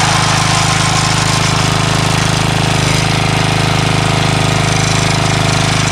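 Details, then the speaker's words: Craftsman 3HP Tecumseh lawn edger after water-contaminated oil change, new carburetor (no leak, primes well), gas line and air filter; single-cylinder runs steady and even at a fast, regular pace, no misses or surging, runs like a champ. "new carburetor doesn't leak prime's great got a new air filter on here and this thing runs like a champ now"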